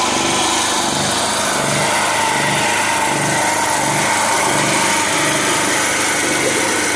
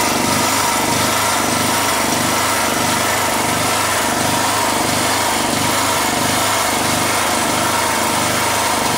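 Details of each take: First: After a local young man in Sifoe, Gambia repaired it, the pull-started small generator runs on with a steady buzzing drone and an even, gently pulsing beat, sounding clean: normal running. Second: Generator engine running loud with a low throb rising and falling about 1.5 times a second, surging; cause not yet figured out.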